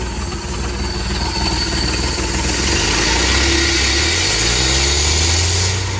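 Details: 1967 Ford 300 inline-six running a lawnmower carburetor, fuel pressure regulator set around 0.5–1 psi: smooth, even running that picks up slightly in speed, with no misses or knocks. Normal running.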